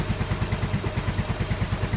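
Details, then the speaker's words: Yamaha Mio M3 scooter with code 46 and a drained battery; the engine itself has no problem. Even low putt-putt at about nine beats a second with no misses or knocks; normal idle after the charging issue is resolved. "untuk mesin ga ada masalah ini motor smap akhirnya itu tekor saja tuh"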